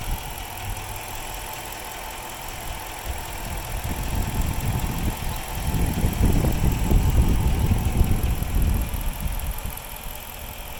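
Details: 2006 Chrysler 300C 5.7 Hemi V8 at idle: lumpy, uneven idle with a low throb that swells and sags every few seconds; very rough idle.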